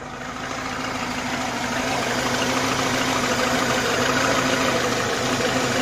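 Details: IZh-2126 Oda, cold morning start after sitting; idle with steady, fairly regular knock about three per second; source not yet known.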